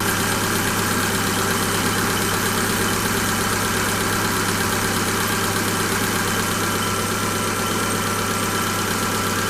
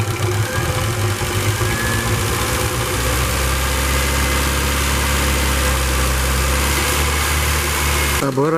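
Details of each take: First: Engine after adding a 300 ml additive to 6 litres of oil for hydraulic lifter knock: busy idle with light, fast tapping about three per second over the hum; hydraulic lifters ticking. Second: Engine with LPG, after an oil change and a flush done to cure hydraulic lifter knock: smooth, even idle with only light quick ticking from the gas injectors; no lifter knock, engine seems to run quieter and healthy.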